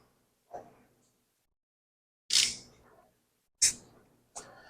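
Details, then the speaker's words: Small block Chevy, fitting screwed into number one spark plug hole, crank turned by hand to set timing: sharp hissing puffs of air, three or four over a few seconds; number one on compression stroke, normal. "as you can hear there's air coming out here so we know we're on compression stroke"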